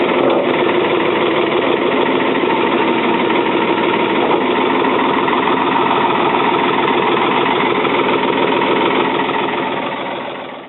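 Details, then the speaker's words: 1977 Ford 555 backhoe diesel, first start in over 2 years on old diesel: steady low-idle clatter while warming up, slightly uneven rhythm but no knocks or misses; healthy. "She's a runner. Let it warm up. Keep it nice and low."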